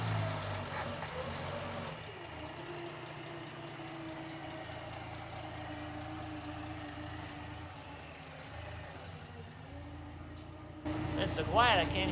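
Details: 1959 Plymouth Suburban wagon, long-stored barn find, inline six started after sitting; idles very softly and evenly with a steady low note, no knocks or misses; normal idle.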